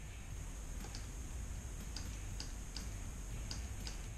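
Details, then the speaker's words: 4L60E transmission shift solenoid bench-tested with a 9V battery while diagnosing code P0752 (shift solenoid A stuck on): sharp, light clicks about twice per second when powered. The solenoid passes. "you just listen for a clicking sound try that one more time I'll get you a little bit closer perfect they both pass the 9-volt battery test"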